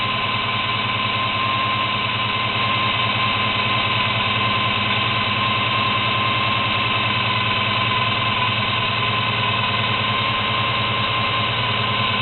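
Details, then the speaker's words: 1972 Chevy Monte Carlo small-block 350 V8 on its carburetor before the FiTech EFI conversion; it spat just before starting. Steady idle with a faint constant whine and slightly uneven firing. The carburetor is thought not to be dialed in. "it looked like the car spit up a little bit just before it started well I guess that's part of the issues that he's having with this carburetor or whoever installed the carburetor I don't think the carburators dialed in"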